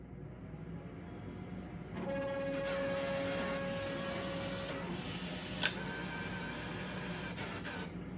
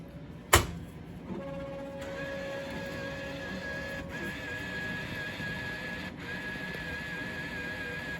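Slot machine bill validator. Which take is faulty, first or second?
second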